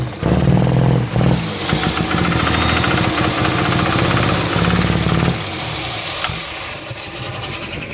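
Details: 24V Cummins diesel: starts and settles into a loud, uneven idle with a lumpy, stumbling beat; misfire at idle, with bad injectors suspected but not confirmed.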